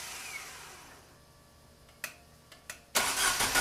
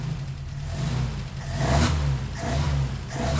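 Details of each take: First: Opel GT Targa after a Weber 40 DCOE carburettor install, first test fire with throttle linkage not connected and throttle untouched: even starter cranking at about three and a half turns per second that never catches. Carburettor possibly not yet primed; cause unconfirmed. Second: Opel GT Targa engine on first test fire after a Weber 40 DCOE carburetor install, linkage not yet hooked up; catches, idles, then revs cleanly through three throttle blips and settles back; healthy revving, runs well.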